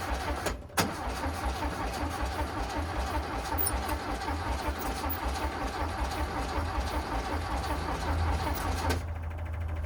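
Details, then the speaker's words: VW Bus neglected 30 years, engine out for servicing, key on: rough uneven buzzing chatter pulsing at about 79 a minute, taillights flickering in time; fuel pump makes most of it, but ignition and lights chatter even with pump off, cause unknown. "Whatever that sound is is wild. >> The the fuel pump is doing most of the"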